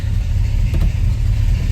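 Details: Jeep CJ7 with a carburetor, after fuel pickup replacement and a flooded, smoky first start: deep, steady exhaust rumble rising briefly with a throttle blip, no misses or knocks; volts and oil pressure good, engine running well.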